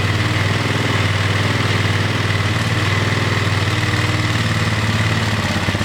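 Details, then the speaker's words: Single-cylinder engine after a rebuild: fast, even chugging that will not settle to a low idle. The auxiliary tank was resting on and binding the throttle cable, holding the throttle open; high idle, cable to be replaced. "turn it off still idling really high I think the throttle cable might be tight"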